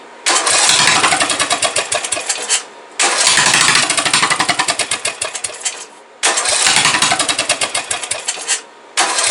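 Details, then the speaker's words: Briggs & Stratton 17.5 OHV single-cylinder mower engine after valve adjustment, compression release working, spark present: fires in ragged bursts, surges, cuts out and catches again; owner suspects the carburetor is starving it of fuel. "Now all we really need to do is pull off our carburetor, because I can tell that that is still being starved of fuel."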